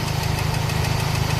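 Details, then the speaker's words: Toyota Baby Altis with a 2E engine, idling after a new carburettor fixed a clogged slow jet. A quick, even tick rides over a rough low idle and stays steady with engine speed, from number two cylinder: loose rocker arm pivots, with valve clearance also to be checked. "Yun lang yung tunog dito. Dito para siyang gitna. Number two."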